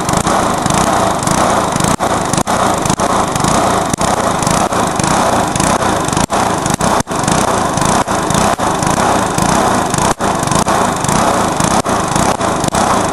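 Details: Briggs lawnmower engine deliberately run to destruction, with nitro added, after a backfire: screams flat out with quick stumbles roughly every second; badly over-revving.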